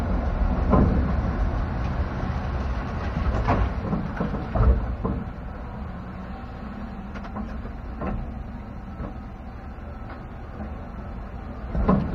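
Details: 2016 Chevrolet pickup driven with the camera underneath: scattered dull clunks every second or two from the rear end over a low road rumble. It persists after the shock replacement, is heard on sharp turns, and GM calls it normal.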